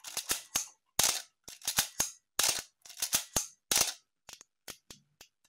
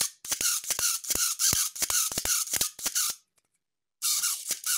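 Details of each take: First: Healthy Canon A-1 after a full clean, lube and adjust, fired off program mode at various, including slow, shutter speeds. Crisp, clean, even clicks with slow ones drawn out; mirror and shutter sound healthy: normal shutter and mirror operation. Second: Canon camera with a governor unopened for 40 years: rapid sharp high-pitched chirps with each mirror cycle, the so-called shutter squeal, actually a dry mirror damper governor needing lubrication.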